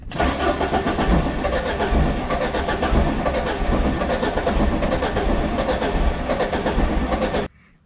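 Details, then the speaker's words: Ford LRG-425 engine on a JLG 80HX boom lift, cold start: catches and runs rough about seven seconds then dies abruptly; automatic choke flapping open instead of staying closed when cold. "the automatic choke is not working the choke is supposed to be choked when the engine is cold it's supposed to be choked and it was flapping open doing this and that's exactly what I'm hearing"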